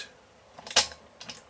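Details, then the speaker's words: Dansette Automix record player autochanger, which ran poorly when first brought home, set to 33 1/3 rpm: motor running, then sharp clicks and a quick clunk as reject trips and cycles cleanly, no grinding or slipping. Works normally. "Yeah, it all works. That's 33 1/3."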